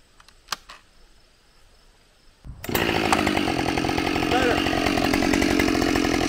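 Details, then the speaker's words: Husqvarna 572XP autotune chainsaw after the autotune procedure, now idling without chain creep: it snaps to a high, steady full-throttle scream that holds strong in the cut. It runs clean and healthy and feels more responsive. "holy crap i i don't know the numbers but feel wise this thing just ate that cookie"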